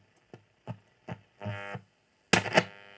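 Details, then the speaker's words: Nordmende Galaxy Mesa 9000 radio under restoration: FM works fine, but every AM band gives only short bursts of buzzing hum and hiss and no station, so the AM reception is faulty. "It's like I'm getting a signal, but that's the noise I get. So something is wrong with the AM. This happens on all the AM bands."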